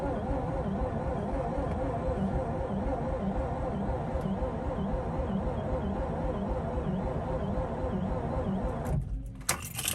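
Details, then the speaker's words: Mazda RX-8 that cranks but won't start, after oil was put in the spark plug holes, cranked with the accelerator floored to deflood it: steady, laboured cranking for about nine seconds that never fires; the owner suspects a weak battery. "It just seems like the battery's still weak and it's just dying."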